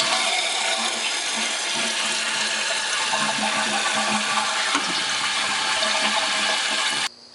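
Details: Toilet after a new flush valve (flapper) was fitted: a strong rushing flush, then a steady filling hiss that cuts off cleanly at about seven seconds as the valve seals; normal flush and refill.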